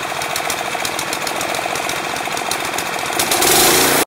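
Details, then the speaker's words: Craftsman 179cc 22-inch snowblower single-cylinder engine (PowerMore-type, surging suspected) idling off choke after Seafoam added; steady, even chug with no surging or misses, only a very subtle slight noise, idles nicely: normal idle. "It has a little bit of a slight, I don't know if you guys can hear, it's very subtle. It actually idles pretty nice. Not too shabby."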